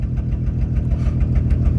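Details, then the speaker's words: 2004 Honda Pilot EX-L with no exhaust system fitted: deep, loud, raw pulsing rumble at idle with rapid uneven chuffs; starts right up, loud from missing exhaust. "Okay, so things look really good. Pretty happy with it. I mean, the thing starts right up. Kind of loud, but you know, it's what it is with no exhaust."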